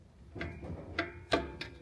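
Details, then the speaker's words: Truck drum brake, screwdriver through the backing-plate slot turning the adjuster gear: sharp separate clicks, about four in two seconds, adjusting until slight drag is felt; normal brake adjustment. "You give it one more click and then Oh, yeah. Now I can feel it."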